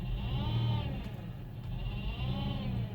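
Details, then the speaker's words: Dodge Journey with 62TE six-speed automatic, no-reverse complaint, code P0700 (P0944 suspected): wavering whine rising and falling over engine rumble while reversing; transmission pump whine. "I can hear that see some whoa that is the transmission wine so she said no reverse"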